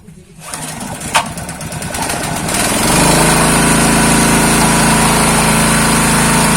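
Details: Honda GX160 water-pump engine, long idle and previously seized and low on compression, after pump priming: cranks, catches within about three seconds and runs steady and even with no misses or knocks.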